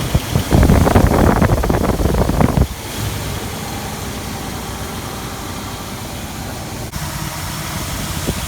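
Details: 1999 Infiniti QX4 3.3 L engine, 187,000 miles, started after replacing leaking coolant bypass hose behind timing belt cover and refitting distributor: short loud burst then smooth, even idle with no knocks or misses; normal healthy idle.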